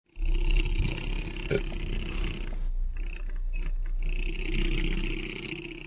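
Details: 2015 Mustang EcoBoost front end: fast uneven clicking about four a second over low hum and faint high whine; dealer says engine mounts though no vibration, owner suspects speakers; unconfirmed.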